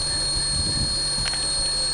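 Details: Running engine with steady high-pitched buzz that changes pitch when the area is tapped; owner first suspected a leaking gasket, culprit was a loose intake manifold cover, fixed by tightening all bolts.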